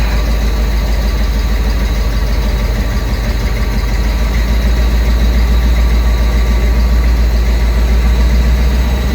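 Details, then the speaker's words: 1995 Ford Bronco V8 idling in the garage just after swapping in the computer from another Bronco: deep, steady, even idle with no misses or knocks; it earlier shook badly and later ran poorly on the road. "She does not sound too upset right now."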